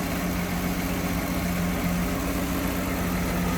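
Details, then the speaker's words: 1966 Ford Mustang convertible idling with hood open, after new exhaust manifold, tank, sending unit, brakes and rebuilt carb; steady, even low rumble with smooth unbroken beat and no knocks or misses, "purrs like a Swiss watch"; normal idle. "Look how smooth this thing runs. Wow. Sounds good too. Purrs like a Swiss watch, they say."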